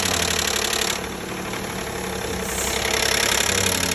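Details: 2012 Nissan Maxima 3.5 L engine at idle: rapid light knocking about four per second from the intake area, caused by a damaged intake bracket with a missing piece rattling.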